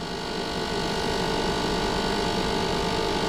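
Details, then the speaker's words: Old DunHot popcorn popper, cooling fan running after oiling, blade possibly out of balance, top cover screws left untightened: steady fan whir with fast uneven buzzing rattle; rattle from loose top cover screws. "Might see what's causing that rattle. See if I can, might just be a loose screw somewhere."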